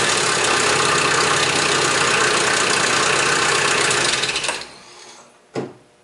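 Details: Nissan KA24E engine (1989–1997); harsh metallic startup rattle over the engine right after it fires, from slack timing chain due to a weak tensioner.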